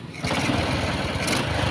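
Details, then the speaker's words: Honda Dash small single after its full timing set was replaced: fires evenly with a steady beat and no knocking or ticking inside, so the earlier clatter is gone. The carburetor hisses because there is no air filter fitted. "So, yung mga idol, no, at iba na po yung tunog ng makina ng ating katropa, no? Nawala na po yung mga kalampag, lagatik sa loob."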